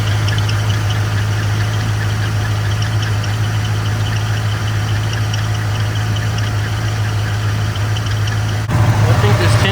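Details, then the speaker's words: 1995 Camaro Z28 after AC delete with compressor bypass pulley, belt refitted: steady idle with faint fluttery chirp over the hum; noise traced to the new bypass pulley, possibly crooked. "So right here, I kind of skipped it, but I went ahead and put the belt back on and I started to hit the sound. The new pulley's making some noises. Might be crooked."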